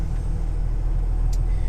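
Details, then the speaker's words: 2019 T880 dump truck, Cummins 485 hp Performance Series diesel, parked regen started: steady raised idle with even low drone, no knocks; engine revved itself up for normal DPF regeneration as dosing begins. "you know it already revved itself up over here"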